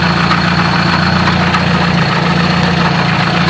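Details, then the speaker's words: Car idling with an uneven metallic clank about three or four a second after third gear stripped its teeth and lost engagement; owner suspects throwout bearing or input shaft, source not pinned down. "It might actually be the throwout bearing. This could also be the input shaft though."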